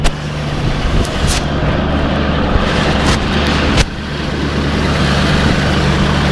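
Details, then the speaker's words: Truck hard cold start after an ice storm, not very cold out: engine catches with a few sharp pops after long cranking, then settles into a steady, slightly rough idle; slow reluctant start, cause unconfirmed. "started popping so this might be the time it starts there it goes finally started up"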